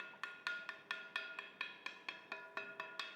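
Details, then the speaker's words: Ring test before mounting: grinding wheel lightly tapped around its edge with a small piece of timber; about fourteen taps each giving a clear sustained metallic ring, not a dull thud, meaning no faults or cracks in the wheel. "knock around the outside of the grinding wheel. And it should give a distinctive ring. That's a telltale sign there's no faults or cracks in the wheel."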